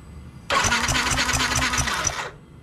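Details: Yamaha NMAX scooter suddenly won't start, fuel reaching engine and spark present: starter whirs steadily with even compression pulses about two seconds, never catches; crank no start, owner suspects spark plug gap too close, cause unconfirmed.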